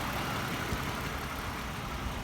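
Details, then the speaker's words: 2010 Lexus ES350 V6 with 153,966 miles at idle; a steady, even soft hum with very little vibration and no knocks, misses or rattles; normal idle. "Listen to this engine. Very little vibration. Runs super smooth."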